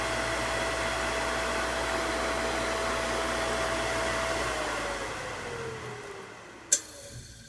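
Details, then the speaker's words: Newly wired grinder electric motor, first test with nothing on it: clean steady hum, then smooth coast-down; healthy unloaded, but spinning the wrong direction, leads to be swapped. "Stand back. Ooh, baby! Listen to that thing hum."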